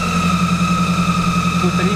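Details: Lada Granta Sport engine just after tightening the crank sensor: steady idle with thin constant high whistle; suspected alternator, not confirmed, timing belt ruled fine; hydraulic lifters not rattling.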